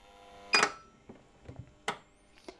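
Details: Microtek double-battery inverter on the bench: the relay clicks and buzzes irregularly, about every half second, as the 5 V supply dips with each click; it is traced to a faulty microcontroller.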